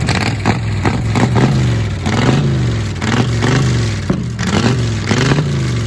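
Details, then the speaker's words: 1935 Chevrolet school bus rat rod, first start after sitting, just refuelled with a hot battery fitted: old six fires and revs cleanly in repeated blips, rising and falling smoothly with no knock or misfire; normal cold start and revving. "Oh, and it starts right up. All we did is put some fuel in it, a hot battery in."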